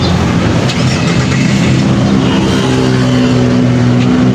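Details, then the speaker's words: Ford Everest diesel idling with a rough, heavy fuel knock and grayish smoke, engine not overheating; one injector dribbling fuel, injectors removed for repair; diesel knock from a leaking fuel injector. "Fuel knocking at mausok mga boss. May pagka-gray yung usok niya mga boss."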